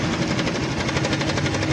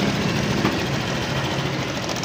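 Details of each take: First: Honda Click 125 scooter, odometer reading about 24 km (speedometer not working) but looks like 80,000–100,000; fast steady dry clatter over idle, continuous when cold, another mechanic had blamed a bearing; worn cam chain tensioner letting chain slap. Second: Honda Click 125 scooter after replacing the worn cam chain tensioner; even steady idle with soft mechanical hum, the earlier rattle from the slapping timing chain is gone; bearing was not the problem, normal idle.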